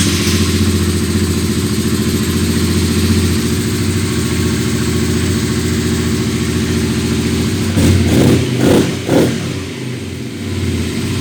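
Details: Honda CBR 125 R after repair of a melted wiring harness conductor that caused a no-start: steady, even single-cylinder idle with a couple of quick throttle blips that return cleanly; runs healthy.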